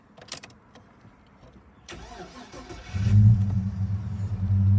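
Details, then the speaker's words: 2001 Holden VX Commodore SS V8, 170,075 km: quiet then starter catches and settles into a deep, smooth, even rumble at idle, not very loud; normal cold start and idle. "has a little bit of a rumble to it does sound good"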